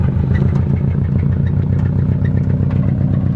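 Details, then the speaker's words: Subaru WRX with an aftermarket top-mount turbo, just after a night of drifting. The rough idle has a rapid, even deep clatter under the rumble. A bearing is feared to be about to let go (rod knock). Suspected bottom-end knock, unconfirmed. "I don't know, I feel like a bearing's about to let go on you on the road."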